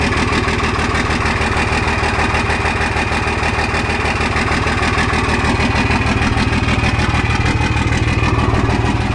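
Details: Second-gen 24-valve Cummins diesel after bleeding air from the injector lines and a brief throttle blip; steady, even clatter about three beats a second, no stumbles or misses: normal smooth idle.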